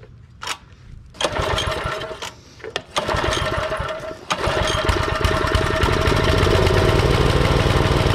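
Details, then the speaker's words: Troybilt Pony tiller, 5 hp Briggs & Stratton, unused for years: a few pulls, sputtering catches, then rough uneven putter; fuel starvation from clogged carburetor main jet/nozzle, later cleaned mechanically. "I had to disassemble the carburetor again because it still wasn't working properly and I soaked it in submerged the whole carburetor and brake cleaner and blew it back off with air but when I would apply air pressure to this main nozzle I didn't hear any air flowing to the inside so I had to mechanically clean the tip"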